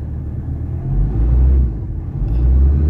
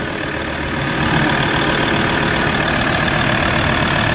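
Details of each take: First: Ford Ranger 3.2 diesel with low power and no check engine light: deep, uneven idle rumble that swells and sags, and the whole engine and vehicle shake with abnormal running; heavy vibration, cause not yet confirmed. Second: Ford Ranger 3.2 diesel idling after an XADO engine treatment for low power and vibration: a steady, even, fairly quiet clatter, and the vibration has lessened. The idle is smooth.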